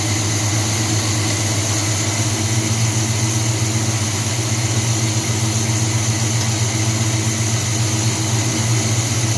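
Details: 1978 Chevy C10 350 V8 after new Edelbrock intake, water pump, belts, thermostat, hoses and valve covers, carburetor still untrusted: steady even low rumble, no misses or knocks; idles smoothly and cleanly, much better than before.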